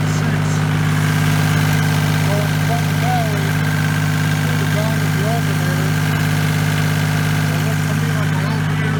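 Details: 1989 Kubota L2550 diesel tractor after replacing a failed fusible link wire that caused click-no-start: steady, even diesel clatter at constant low idle, no misses or knocks.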